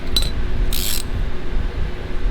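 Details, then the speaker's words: 1988 Toyota 4x4 van after converting auto-locking hubs to manual: hub turned by hand in free gives soft ratcheting ticks with no clunk of engagement, hub not locked; freewheeling normally. "freehub spinning yep no engagement gotcha"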